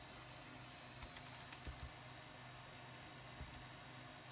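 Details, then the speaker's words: Old AMD Athlon K7 1 GHz PC at first power-on: constant loud rushing roar with a high thin whistle that never changes pitch; the machine runs abnormally loud, cause unclear. "That sounds noisy. What's going on in there? Oh dear."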